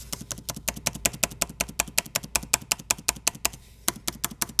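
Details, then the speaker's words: Dell XPS 9570 laptop, microphone below, spacebar reinstalled after greasing metal-on-metal stabilizer bars that squeaked on the right side; crisp even taps two or three a second with no squeak or creak, nice and quiet. "push it down sounds pretty good right now sounds like we got it I'm gonna put in the left side the right side it's awesome nice and quiet"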